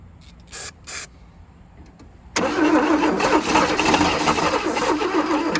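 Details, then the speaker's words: Abandoned 1977 Chevy Camaro: steady cranking at three to four turns a second with a few ragged catches. It briefly fires but is being flooded; owners judge the engine a runner. "But guys, it hit a lick. This is a runner. This is a runner, guys."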